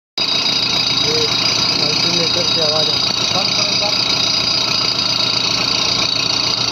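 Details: Engine at quiet idle with a steady, high-pitched hiss-like whine from the alternator, which also shows marks where something is catching inside. Alternator internal rubbing noise.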